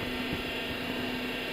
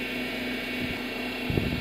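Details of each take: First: Honda Odyssey engine running with steady low whine from the power steering pump; low fluid, topping up the power steering reservoir makes it go quiet. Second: Honda Odyssey at idle after fresh fluid was added to the power steering reservoir: smooth, even hum, the power steering pump whine gone and the pump now quiet.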